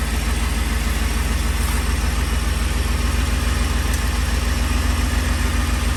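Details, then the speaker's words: 2010 Ford F-150 petrol engine startup: fast tinny metallic rattle over idle from exhaust heat shield whose clamps rusted apart; fixed by replacing clamps, rattle gone. "it is very common for the heat showed clamps to rust apart and then you get that metallic sound that you heard at the beginning of this video"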